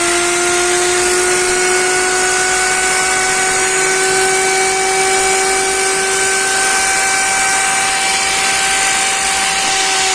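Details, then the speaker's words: Motor from a Candy GO F 107 washing machine whose drum won't spin, bench-run on 220 V with jumpers: a steady whine with constant crackling from heavy brush sparking; worn carbon brushes suspected, to be inspected. "В общем искрит он многовато сейчас буду снимать смотреть щётки Потому что так запустился и ещё плюс искрить много"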